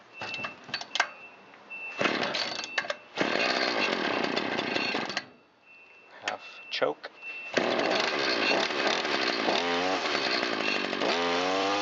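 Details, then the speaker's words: Shindaiwa T272X gear-reduction string trimmer, about 25-30 years old, test run after replacing failed piston for low compression and rebuilding Walbro carburetor, 40:1 mix, choke on, full throttle: starts after a few pulls, sharp steady buzz climbing cleanly; running healthy. "Time for a test run. Ignition on, choke on. We have fuel pumping through the carburetor and good pressure there. I'll hold full throttle."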